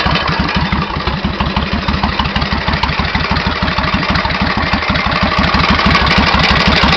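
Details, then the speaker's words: 1991 Suzuki VS1400 Intruder V-twin, true mileage unknown (engine supposedly ~24,000 km); heavy metallic hammering at idle, about three knocks a second in step with the engine, building and quickening as revs rise; engine knock, cause unknown. "Alors c'est un peu moins flagrant sur ce côté-ci, mais de l'autre côté on entend très bien une espèce de bruit métallique, comme si on tapait au marteau, et au fur et à mesure de la montée en régime, le bruit accélère."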